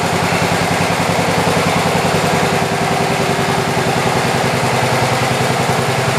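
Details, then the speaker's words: 1967 112 round fender with carburetor mixture screws adjusted: steady even putter at constant idle, no misses or knocks; healthy, though some smoke noted. "it's got a little bit of a smoking problem but it does have some two-stroke oil in it I'll tell you what I'm kind of surprised"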